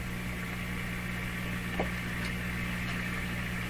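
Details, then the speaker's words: Grundig 2030 AM/FM tube radio at 112 volts, switched on to AM broadcast band: steady low mains hum with a buzzy overtone under faint hiss, constant regardless of tuning, loud. "Now it's going down. Okay, I hear a hum."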